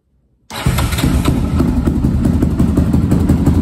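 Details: 2002 Yamaha Raptor 660 single that sat over 1.5 years and would not start, after carb clean, jets, valve adjustment, fresh gas, oil and coolant: fires at once and settles into even thumping idle, about three beats a second; healthy.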